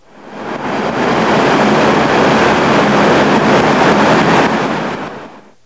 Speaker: the sound generated in this situation usually exhibits strong aerodynamic pulsations accompanied by housing and duct vibrations it sounds like this